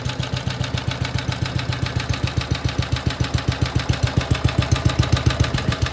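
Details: BSA/Villiers 119cc Sloper two-stroke after carburettor/engine service: an even, regular thumping beat with a heavy low tone, breather sound and heavy flywheel, with no misses or rattles; normal clean idle.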